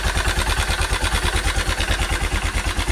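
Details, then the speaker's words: Honda Cargo 150 single-cylinder motorcycle, recently rebuilt with new cylinder, piston, camshaft, valves and timing chain, idling: light metallic ticking rattle from the timing area after overloading on a hill; cause was a loose cam sprocket bolt. "sé si alcancen a escuchar, pero se escucha como si fuera distribución o las guías estuvieran ya echadas a perder."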